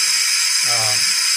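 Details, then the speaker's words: Ford F-250 6.0 Powerstroke diesel, high-pressure oil system air test after replacing blown HPOP/discharge tube O-ring: steady hiss from IPR valve and discharge tube while IPR de-energized, normal. "So we hear a little bit of air escaping from the IPR valve."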